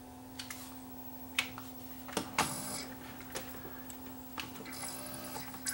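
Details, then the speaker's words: Pioneer CLD-504 auto-reverse LaserDisc player after mechanical repair, reading a video disc and seeking to track 9 at about 3000 rpm: a steady low hum with scattered light clicks and ticks as the disc spins up and the head seeks. Healthy. "it sees it so a video disc and it goes to track number nine which is you can heal fast nothing spinning spinning about 3000 rpm"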